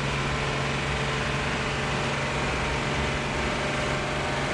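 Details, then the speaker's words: Diesel generator at a race track running away: a loud flat-out roar with a steady high drone that never drops back as the governor fails to shut it down; engine overspeeding. "road generator running away isn't it yeah sounds like it Governor's not shutting her down"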